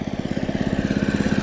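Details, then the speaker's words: Early-1980s Snapper Series 6 six-speed self-propelled lawn mower ticks over with quick, even firing pulses, steady and smooth throughout; bought used, runs like brand new: normal healthy idle. "I pay 300 for this and it runs like brand new"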